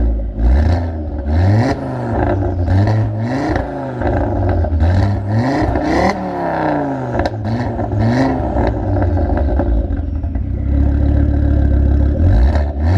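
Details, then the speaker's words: Stolen-and-recovered car, freshly serviced, warmed up, microphone at the rear: repeated rev blips rise and drop back cleanly with a deep, steady exhaust and no knocks or misses. Normal revving. "Oh my goodness, that sounds amazing. I cannot wait to get this thing on the road."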